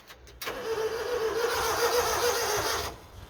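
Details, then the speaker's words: Honda Acty mini truck after ignition coil swap and second overhauled distributor: starter spins with a steady whirring crank for about two and a half seconds, never catches or fires; crank no start. "still nothing it's not even doing anything"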